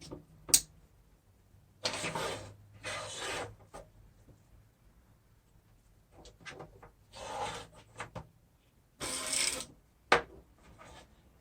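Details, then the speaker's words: 2012 Acura TSX power window motor and regulator, bench-tested after cleaning: hissy rasping runs then a thin high squeal; gearbox needs more grease, dirt and water harden grease and lock it up. "As you can hear, it's squealing. It needs more grease."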